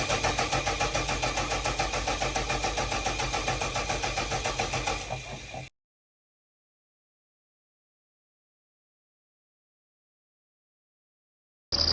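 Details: Bomag BW212 D-3 roller diesel, worked on for a won't-crank, no-start fault, chugs at an even, steady beat of about three and a half pulses a second, then shuts down cleanly; runs normally.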